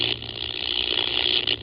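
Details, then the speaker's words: Ham radio receiving RFI near a power pole below high-voltage lines: steady raspy buzz with low hum, audible buzz from the pole when RF noise spikes; power line interference, suspected pole hardware. "when the noise spikes on the RF side, I can hear an audible buzz coming from up there."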